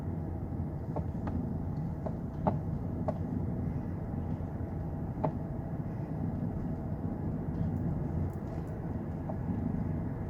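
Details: 2009 Lexus LS460 driving on unpaved, rough road; scattered sharp clunks and rattles over road rumble from driver-side front as wheels hit bumps; front shock absorber suspected failed internally, no external leak: front shock absorber rattle.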